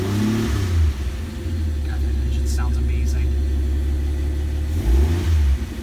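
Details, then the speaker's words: 1971 Dodge Demon, 198 Slant 6 stored in a garage since 1988, just started, old fuel siphoned out; strong low note climbs on throttle then settles smoothly to even idle without stumbling; owner feared stalling but it doesn't. "when I let off the gas I'm worried that it's gonna stall out on me it's not moving it doesn't want to stall"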